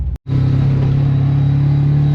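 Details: Car idling after repair work: lumpy, uneven low rumble with a rattle and a bubbly noise, which they reckon is a remaining misfire; cause not pinned down.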